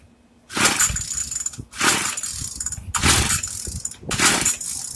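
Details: Craftsman two-stroke weedeater, stored after six months' use and stopped running, after priming, set on 2: four rough pull-start bursts about a second each, sputtering briefly but not catching; hard starting.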